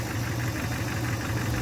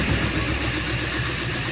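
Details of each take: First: 2015 Chevrolet Camaro SS with a replacement 6.2L V8 after the old block was holed, first start: early lifter tick while oil pressure builds, quieting to a steady, deep, even, healthy idle rumble. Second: 2015 Camaro SS, first start after a replacement 6.2L V8 swap (old block holed): steady idle with light quick ticking, three to four per second, suspected lifter tick while building oil pressure, quieting as it runs.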